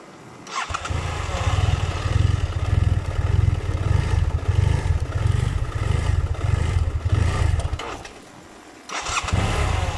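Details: BMW F700GS motorcycle, hot engine, clutch pulled: idle surges and sags unevenly, then dies; after restart it hunts again. Unstable idle and stalling from a faulty throttle position sensor, fixed by replacing it.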